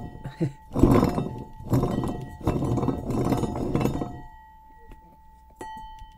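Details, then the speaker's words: Removed truck water pump spun by hand gives four rough, gritty grinding bursts from worn-out bearings; owner replaced it himself. "here is that thing and that's how bad that things sound and so yeah the bearings were going out of it"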